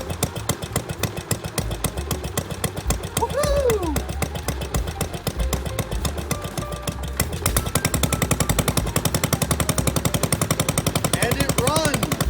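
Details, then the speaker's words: 1963 Wheel Horse 753 garden tractor single-cylinder engine, first start after sitting, with the carburetor, ignition coil, air filter and spark plug replaced: steady, even chuffing that picks up a touch midway, running properly with the points sparking correctly. "runs all right now I know the doesn't work so I'm going to have to get that replaced but the thing is running"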